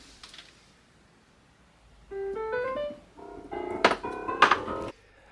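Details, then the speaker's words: Roland FP8 digital piano: notes and chords with sharp clunks as keys are released, caused by cracking action hammers that were later replaced with working hammers from a second FP8. "the big thing here was that the Hammers that were on their way to braking caused a clunk sound when released as you can hear"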